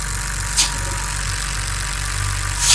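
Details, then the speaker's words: 2008 BMW 328xi N52 six-cylinder at idle, oil filler cap lifted: constant airy hiss of excess crankcase vacuum releasing, well above the 30 mbar spec; failed crankcase ventilation (CCV) breather. "you can hear all that vacuum releasing out of the cap there so I think it is a fail breather"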